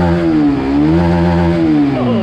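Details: Honda RS150R motorcycle engine, from a video about its failed cam chain tensioner, revving up and settling smoothly with an even, clean tone and no knocking through the range; sounds healthy, normal revving.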